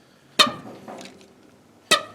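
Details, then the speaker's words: 1946 Jeep CJ2A rescued with a rusty, seized engine: turning it by hand gives two short, sharp, dry squeaks about a second and a half apart; binding engine with rust found inside, cause not confirmed. "That one's really seized. Yeah, you can hear it."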